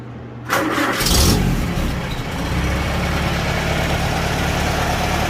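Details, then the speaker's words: 1949 Farmall Super A tractor, cold start without choke after a valve adjustment: short crank, catches at once, brief rev, then steady even idle with no knocks or misses, quieter than before the adjustment. "it hasn't been started since the last time I took it out, and no choke, and it fires right off. Definitely sounds much better, much quieter."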